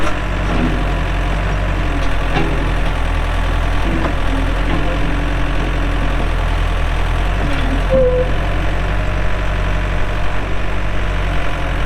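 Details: 2007 Case 580M Series 2 backhoe, 4WD, Extendahoe, pre-emissions diesel, 3,812 hours: deep, steady diesel drone holding even beat under working load, no knocking or hunting; runs good, hydraulics strong, normal running.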